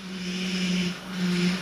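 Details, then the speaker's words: Mazda with engine running: low humming whine in two swells over engine hiss from a failing power steering pump, heard under pressure; noise rises with throttle, vibrates the steering wheel, and is worse when turning the wheel. "this is it this is the noise of a bad power steering pump and you can definitely do it under pressure"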